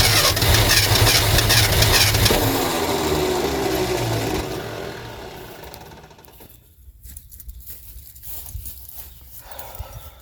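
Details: 1972 Ford F350 Custom abandoned one-owner truck, big-block V8, four-speed, cranking with choke partly opened: long loud cranking with ragged near-catches that never settle. Cranks but won't start; cause suspected, not confirmed.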